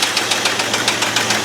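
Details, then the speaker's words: Abandoned 1989 Ford F250 5.8L V8 started on a new battery after fuel injector wire repair, never revved: sharp, regular knocks about seven a second over a steady idle, quieter than last time; a loud internal knock, cause not confirmed. "That sounds so good, doesn't it? But that's a loud knock."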